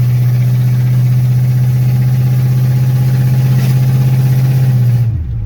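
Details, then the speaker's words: 1984 Chevy C10, 305 small-block V8, just fitted with headers, no mufflers (previous owners cut them off): deep, loud, lopey burble at idle with steady pulse; runs fine, loud open exhaust idle. "if she wasn't loud before when she had cut off mufflers because of the last previous owners, she's retarded now."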